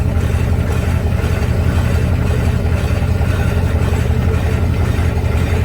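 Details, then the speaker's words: About 2002 Chevy Silverado with a replaced engine, driveline turning slowly in gear: deep steady growl with a rough pulsing churn from the rear end; axle shaft wobbles, possibly from a curb hit. "be banged up there I wanted the growling I heard was from the rear end"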